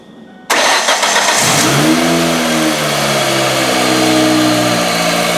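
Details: Ford Focus 2.0 SVT DOHC after timing belt, tensioner and bad idler pulley replacement, coolant refilled; cranks and catches cleanly, flares briefly, then settles to smooth even idle with no knocks or ticks; normal start and idle.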